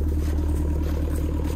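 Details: Six-and-a-half-ton digger that stopped three weeks earlier, restarted after shaft with flat spot was turned 180 degrees: deep steady diesel idle, even low thrum, no misses or knocks; normal idle.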